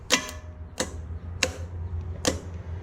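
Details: Junkyard Oldsmobile 350 on an engine stand after fuel pump, plugs, wires, oil and carburetor work: four sharp separate clacks with no cranking; starter clicks but won't turn the engine, starter suspected bad.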